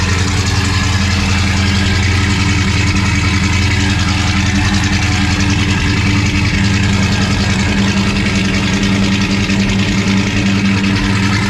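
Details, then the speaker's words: Foxbody Mustang project car V8 with a freshly installed drivetrain and off-road H-pipe exhaust: deep, steady, even idle burble, no ticking, knocking or missing; burning residue off the exhaust manifolds, clutch fan not connected, timing not yet set. "Doesn't sound too bad. Gonna let some of that stuff burn off of the exhaust manifolds there."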